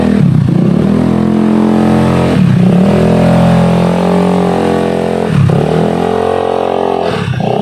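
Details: Honda Beat carburetor scooter, CVT after fixing a rattling "kretek" noise: engine revving up and settling in smooth repeated pulls, even drone with no rattle or clatter from the belt drive; normal CVT running.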